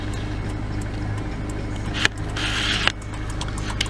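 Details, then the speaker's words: 2001 Subaru Outback 5-speed, 190,563 miles, blown head gaskets, cold start on a chilly December morning: the left turn signal glitches and keeps flashing, with steady light relay ticking over the idling engine. "You see that left turn signal? That thing has some glitch going on with it. Always doing the left signal."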